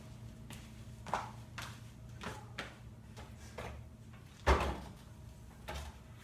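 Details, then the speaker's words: VersaClimber climbing exercise machine, the second unit sent after the first also squeaked; a squeak repeats with each stroke, roughly once or twice a second. "I just received my second post, set it up, and the same squeaking sound is audible."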